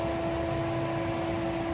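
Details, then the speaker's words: Wuling Air EV modified AC cycle restarting, current rising to about 8 A, condenser fan running: steady loud whir, constant mid-pitched hum over airy rush, no speed change; normal but noisy condenser fan. "Nah ini suara kipasnya juga tuh udah mulai berisik lagi ya."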